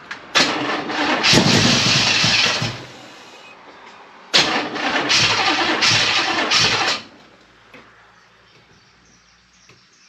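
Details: Chevrolet El Camino of unknown engine, bought cheap, fed gas in the carburetor: two 2–3 second cranking bursts catch briefly but never idle; hard starting because the timing is off.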